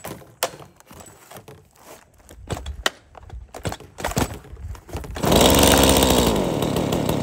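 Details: Stihl MS 170 30cc chainsaw, carbon cleaned, bar and chain refitted, chain brake working: handling knocks, then it fires and holds a steady, even high-revving buzz with no misfire heard.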